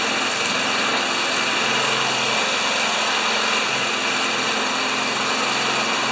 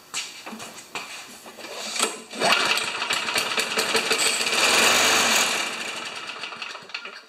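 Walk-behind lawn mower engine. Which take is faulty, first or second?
second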